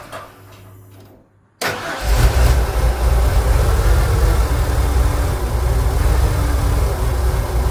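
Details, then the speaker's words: Ford Econoline van engine starts, then idles with a deep uneven lope and surging and tends to stall, though it drives okay with no check engine light; it runs rich with good fuel pressure, and a faulty MAP sensor is suspected. "It'll run rich, call stalling, and based off how it's loping, it's running rich."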